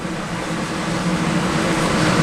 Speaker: now as you hear the airflow ramp up, that's the purge. Any scrap, anything that didn't get popped gets pushed out of the heating chamber.